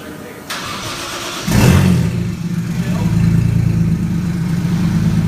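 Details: 1JZ-swapped Nissan S13, first startup after a dead battery on a cold day. A brief crank, then the engine catches with a rev flare and settles into a steady, even idle; a fuse still blows afterwards.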